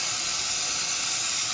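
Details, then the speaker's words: 2003 Ford 6.0L diesel, valve cover off, no start: shop air on cylinder gives a loud constant high hiss escaping past injector O-rings, far back and center seals both failed; leaking seals cause the no-start. "coming from this injector right here. Big leak. Look at that. A little O-ring will stop these trucks from running, and that's exactly what happened."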